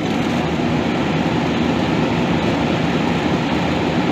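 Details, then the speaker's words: Walk-in cooler condensing unit down since afternoon, hot evening, restarted after rewiring solenoid: steady heavy rushing roar with low labouring drone; condenser fan sounds bogged down, possibly tripped on thermal, cause unconfirmed. "That fan didn't sound too good. It seemed a little bogged down."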